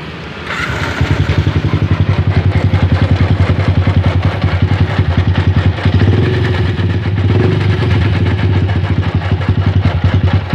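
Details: Yamaha Jupiter MX idling with a rough growling "ngorok" and an uneven rubbing clatter; cause suspected as a worn, loose camshaft bearing.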